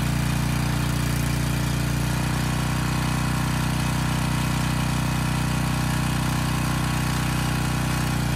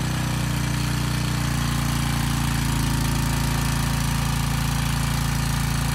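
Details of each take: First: Briggs & Stratton Storm Responder generator repowered with a 10 HP Briggs engine, old oil, carb unserviced, about 114 V: even constant drone, governor holding smoothly, no knocks or misfires; running normally. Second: Briggs & Stratton Storm Responder generator repowered with a replacement 10 HP Briggs engine (model 204412-0163-L1), under a 4500-watt load test: steady drone with a fast, loose buzzy rattle from the starter assembly vibrating on the engine, not the engine internals.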